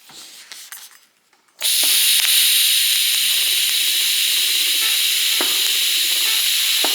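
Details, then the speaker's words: ARCCAPTAIN 200P AC/DC TIG on a scrap piece, stock regulator around 30 CFH: quiet start, then fast clean strike into steady even hiss with no popping or sputter; stable TIG arc. "The arc strikes very fast and it is very clean."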